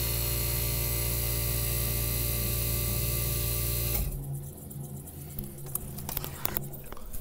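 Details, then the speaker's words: 1965 Fedders Weather Wheel air conditioner, mic near the freshly repainted Tecumseh AJM15-94 compressor during thermostat test after cleaning: smooth steady hum about four seconds, no knocking, cuts off cleanly; running properly. "let's go ahead and turn it on we're going to get you guys near the compressor so we can hear it there's our freshly repainted tecumseh ajm15-94"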